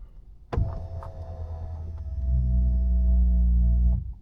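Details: 2024 Tesla Model 3 Performance, powered steering column moving, happens about half the time: low steady motor drone for about three seconds, deepening halfway as the column travels; intrusive steering column motor hum.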